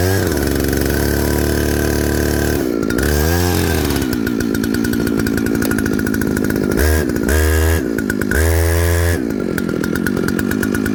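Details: Jonsered 2095 chainsaw with 36" bar, fired up after fitting a Husqvarna 395 XP handguard and an eBay chain brake band: it revs hard several times, the crisp even buzz rising and falling cleanly and settling back each time; normal running.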